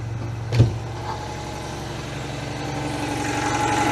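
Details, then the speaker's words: Citroën 2CV two-cylinder, not run for months, started with petrol dropped in and choke after slow cranking: settles into an even, steady putter with no misses; healthy idle. "there we go that sounded lovely isn't it"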